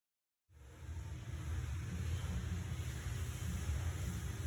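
Engine catches and settles into a steady, even low rumble with no ticking or puffing leaks; it runs clean and healthy.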